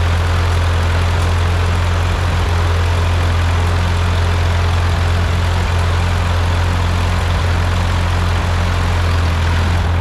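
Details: Ford 8N tractor with freshly rebuilt four-cylinder engine, first start after rebuild with piston rings still seating: steady, even low putter at idle, no knocks or misses; sounds really good, normal smooth idle.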